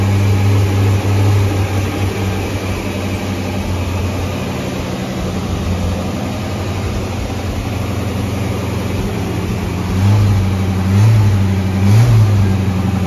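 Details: Ford Mustang carbureted V8, idle turned up slightly; the cause found was an air leak from the wrong gasket under the 1-inch carb spacer: steady, even low rumble with a smooth beat and no hunting or stumble, idling properly.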